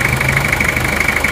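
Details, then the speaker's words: Toyota Kijang diesel, warm, at a normal idle: steady even light clatter with no roughness or knock and minimal vibration; an occasional "tang" sound is normal for the Kijang, and this engine counts as smooth. "Kijang diesel itu suaranya terkadang agak keras, ada suara tang gitu. Tapi ya tetap ya seperti itulah Kijang."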